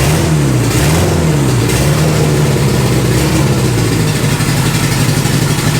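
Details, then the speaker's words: Boosted Honda Integra project, first fire-up: revs surge and sag unevenly and the engine hunts, then stalls. Rough running and stalling; lean running or an intake leak is suspected, not confirmed. "just run for me for another quick second come on tap it or now That's All She Wrote fam"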